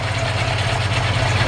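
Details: 1952 Ford F1 truck with previous-owner rebuilt engine, not yet warmed up: steady, low idle with an even rhythmic pulse, no knocks or irregular beats; normal.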